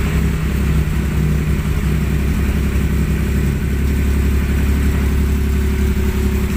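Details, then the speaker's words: Suzuki Multicab added electric auxiliary radiator fan, after moving the screen that was rubbing and noisy: steady whir and airflow hiss over engine hum, no scraping; fan now spins freely and quietly. "Ayan na yung tunog niya ngayon, no? Tahimik na siya. Yung tunog na lang ng ikot ng LEC ang maririnig nyo. Pati yung hangin."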